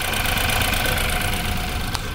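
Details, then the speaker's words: 2015 BMW X3 with N20 engine, flashing check-engine light and shaking rough running, idles with an uneven, stumbling beat; ignition scope shows no spark entering the cylinder, a misfire, with codes for cylinder 2. "that is no spark entering the cylinder no spark entering this in there"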